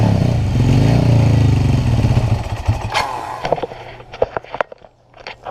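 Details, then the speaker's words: 1988 Kawasaki LTD 440 with new plugs, fed by a small funnel cup: runs rough but strong on starting fluid a few seconds, then stumbles into scattered pops and dies; owner suspects fuel delivery or carburetor. "know why it's only running us starting fluid probably has something to do with fuel delivery"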